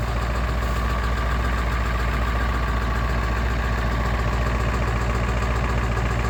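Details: 1996 Ford 7.3 Powerstroke diesel truck, 292k, cold start at 18°F: loud, uneven clattering idle that knocks and smokes until warm, every start below 40°F; owner suspects misfire or bad injectors, 1600 mi after new o-rings and cups, no oil in fuel or coolant.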